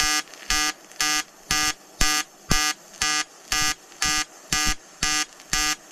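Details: EWM Tetrix XQ 230 Puls AC/DC inverter TIG welding 5000-series aluminium corner joint: 2.4 mm lanthanated tungsten, 2 mm filler, pulsed AC. Even electric buzz pulsing on and off about twice a second, steady and regular; normal pulsed AC TIG arc.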